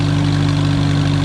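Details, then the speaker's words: Allis-Chalmers WD tractor first run in 25 years, with residual diesel burning out after a fireball start. Steady, even low idle with firm unbroken rumble, no knocks or misses; runs like a sewing machine, normal idle. "Looks like an Alice Chalmers that runs like a sewing machine. I like that. That sounds good."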